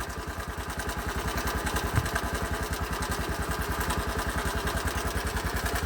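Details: Bajaj Boxer X150 2020: a sharp, even top-end knock at idle, about 3.5 per second. At first a loose tappet or timing chain was suspected; after tappet adjustment the engine was opened, revealing a worn piston rubbing the cylinder walls. Piston replaced.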